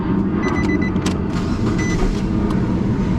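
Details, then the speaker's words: 2012 Nissan Sentra that was misfiring and running rough, after a part was plugged back in: steady, even idle with no stumbles or skips. Misfires cleared; a tune-up and coil are to be recommended. "I just backed out of it and went back into it, and now all my misfires are cleared, and this thing's purring like a kitten. No more misfires."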